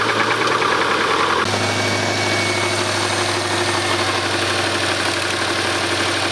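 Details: Subaru Impreza RS after a rallycross: engine cranks, catches, then idles with hollow, steady deep bottom-end knock in time with revs, likely rod knock.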